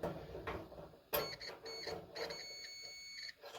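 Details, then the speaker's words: Kenmore 70 Series electric dryer (model 667 22692) not heating, thermal cut-off tested with multimeter: steady high continuity tone for about two seconds; the thermal cut-off conducts and is ruled out. "all right so you can hear that I've got continuity through this component so we've now eliminated that one as a possibility"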